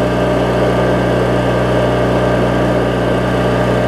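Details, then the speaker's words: Craftsman riding mower, 19.5hp Briggs opposed twin, after governor, idle speed and carb repair: even, steady low-speed running, no misses, hunting or knocks; normal idle, owner thinks speed is on the threshold of slightly fast. "I think it's right kind of on the threshold sounds great though when it's running"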